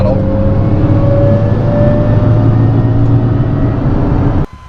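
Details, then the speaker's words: Daily-drift Nissan 350Z with a welded diff: a steady mid-pitched whine over road drone at 50 mph, only on throttle and gone off throttle. Fluid has been changed several times, and the owner suspects a failing diff bearing. "my diff decides that it wants to make the worst noise known to mankind I'm going 50 right now and it has to do with throttle input"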